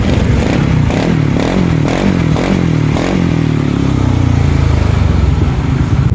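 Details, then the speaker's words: Yamaha Nmax scooter after a rebuild fixing a cracked valve-guide head and cracked cylinder base with a re-sleeved cylinder, on a cut open exhaust. Loud raspy note climbs smoothly with throttle, no knock or rattle. Normal running. "คันนี้ก็ลองวิ่งให้ดูสั้นๆนะครับก็ในคลิปอาจจะไม่นิ่งนะครับผมใช้มือถือถ่ายนะครับแล้วก็มือเดียวนะครับเป็นระยะทางสั้นๆนะครับก็ขึ้นไวอยู่นะครับ"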